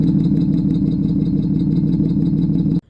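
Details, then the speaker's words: 2010 Chevrolet Camaro 3.6L V6, hard start/slow crank, oil change overdue by 10,000 miles, idling after about 3 minutes: fast, light clacking valve train chatter heard at the exhaust that hasn't quieted. Codes: misfire cylinders 1 and 2, oil pressure switch. "It's been running for about 3 minutes now and the valve train chatter has not quieted down at all. That really clacky noise."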